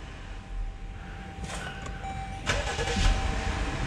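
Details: Jeep Grand Cherokee with new battery and new starter, no start after a cold overnight soak, code P058D: short cranking bursts that stop abruptly and never catch as the starter cuts out during cranking.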